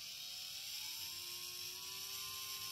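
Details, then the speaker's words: Drone brushless motor tested without propellers via Baseflight: thin electric whir climbing in tone, with heavy vibration at low throttle that lessens at full throttle; possible causes include bent bell, loose magnet, lost balance weight or worn bearing. "libre quand même pas mal à bas régime après quand on monte au maximum en actes on a moins de vibrations"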